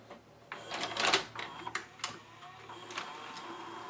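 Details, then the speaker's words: Sony SLV-740HF VHS hi-fi VCR after cleaning and relubing a gummed friction clutch that made it eject tapes: light clicks and short whirs as tape threads, then quiet steady play, stop and fast-forward; loading normally. "play good stop fast-forward it's gonna check to see how much tape it has left on each sides by calculating the take-up and supply motion"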